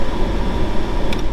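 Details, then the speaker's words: 1997 Jeep Cherokee after blower motor replacement, jump-started, checking all speeds: strong, steady airflow over a low rumble with no squeal or ticking. The new blower runs smoothly; the old one had a bad segment, hung up and blew weaker. "Alright, had to jump start the old girl, but we got it running. Woo! Got some air blowing now. Make sure it's working on all the speeds."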